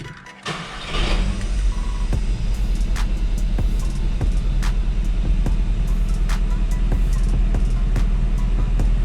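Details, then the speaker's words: Seat Leon FR 2.0 TFSI idling after ignition coil and all spark plugs were replaced and injectors swapped between cylinders: shaky, stumbling idle with irregular low thumps; misfire now on cylinder 3, traced to a faulty injector moved from cylinder 2. "jest nierówna praca ale na razie nic nie widzimy dlatego też wejdziemy w parametry rzeczywiste więc sprawdzimy tutaj jest wypadanie zapłonu czego nie ma cylinder 3"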